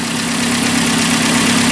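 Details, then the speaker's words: 1981 Alfa Romeo Spider Veloce, first run in about 8 years, missing an exhaust section: warmed up, idle dropped to about 900–1000 rpm, smooth even hum with no misses or knocks; normal warm idle. "all right so it's warming up and you can see that the Idol is dropped down"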